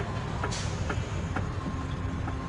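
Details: Hyundai i30 driven on road after brake pad job: faint sharp knocks tapping through heavy road rumble from the rear.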